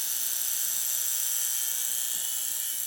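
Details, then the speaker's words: Weil McLain gas steam boiler after cleaning and new pressure gauge, pigtail and tee installed: thin steady high-pitched buzz with no rumble, new since the work; source unidentified. "it's driving me crazy because it wasn't making that sound before and it's not interfering with or is it"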